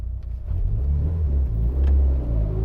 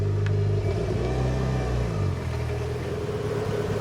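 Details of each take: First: Mitsubishi Evo with ACT twin-disc clutch, revved to about 2000 rpm and clutch released slowly: engine held near two thousand revs then even pull-down as clutch takes up, no shudder or chatter; smooth clutch engagement. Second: Car fitted with a twin-disc clutch, pulling away in traffic: low engine drone with uneven shuddering rumble; clutch chatter on take-off typical of twin-disc clutches.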